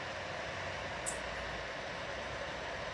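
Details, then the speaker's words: PC power supply fan after cleaning and removal of a holder piece: a steady, even rush of air with no rattle or thumping, where before maintenance it was as loud as a helicopter; normal fan noise. "ruido es mínimo el ruido es el natural ya no hace tanto ruido"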